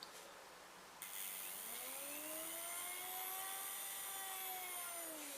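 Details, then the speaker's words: Hornby Class 101 DMU model loco decoder on a decoder test board, motor running in reverse: clean whine rises, holds steady, then eases off; motor functions work normally. "And back. So we know the motor functions are working on this decoder. It's doing what it should do."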